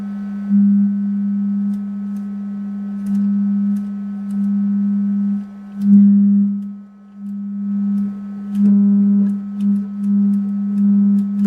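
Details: Hartke Model 2000 200 W bass amp after repair of input problems: steady low test tone swelling and dipping cleanly as dusty EQ sliders are worked, no crackle or dropouts; controls cleared by use, working normally.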